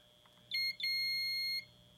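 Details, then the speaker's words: Multimeter continuity test on a Takamine output jack assembly (TRS 3.5mm plug), probing the tip (audio): short high beep then a steady one-second beep, continuity confirmed, no break in the wire. "You see, we got continuity. Continuity means there's no breaks, and of course we could check the ground too."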